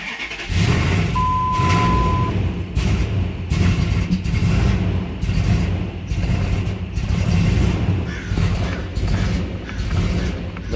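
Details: 2003 Dodge Ram 1500 5.7 V8, after a loud pop and white smoke on a remote start and a throttle body swap that didn't help: lumpy idle with a dead pedal. The cause turned out to be a 2-inch crack inside the intake manifold.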